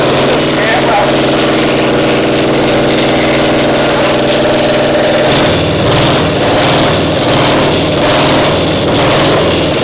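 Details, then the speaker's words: Caterpillar Diesel 70 two-cylinder pony motor, carb now good: lumpy running with beats dropping out irregularly, one cylinder only firing now and then; intermittent misfire. "Sounds like I might be running on one some of the time."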